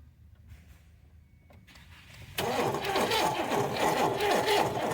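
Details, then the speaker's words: 1981 Oldsmobile Cutlass Supreme, original 260 V8, 42,000 miles, sat 30 years, new plug wires, weak battery: starter spins the engine at an even steady beat but it never catches; crank no start, badly damaged wiring harness, wood in exhaust. "all right so i've officially pulled the plug on this thing i'm not gonna i probably could get it running because it spins over good i put new spark plug wires on it but there's so much damage to the wiring harness"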